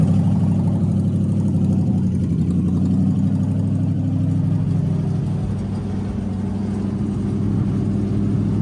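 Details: HZ one-tonner engine's first start in six years: settles into a steady, even run with a low hum and no knocks or misses; starts and runs normally.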